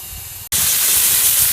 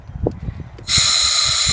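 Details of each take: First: FEBCO 765 pressure vacuum breaker, sprinkler blowout with the compressor: the valve is pushed up by hand and thumps as it seats, then a strong steady high hiss as air blows out the zone. Normal. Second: Air compressor regulated at 50 psi feeding a FEBCO 765 pressure vacuum breaker during sprinkler blowout: a sharp steady hiss for about a second as air leaks past the inlet valve, which has not seated.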